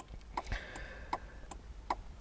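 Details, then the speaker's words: 2004 Holden VZ Commodore V6 with hazards on: only the right side flashes and the left is dead. Light, even relay clicks at about 160 a minute, faster than normal. A flasher relay fault plus a suspected BCM problem. "when i turn the hazard light on only the right hand side is coming on left hand side doing nothing"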